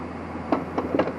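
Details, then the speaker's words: Yamaha DT 250 enduro, after running hard and fast and being cut abruptly when kill switch failed, gives irregular hard clunks with rough grinding when turned over; owner believes engine is ruined. "hear that clunking grind yeah I smoked it stupid and I smoked it"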